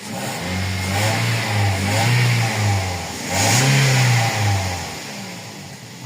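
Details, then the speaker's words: Toyota Vios petrol engine after clearing P0354 cylinder 4 misfire codes (ignition coil/injector 4): smooth revs settling back to an even idle, no misfire. "Ayan na wala na. So full start niya yan. Titingnan natin pagka nag-normal lang yung temperature niyan. Okay. Wala na siyang missfire eh."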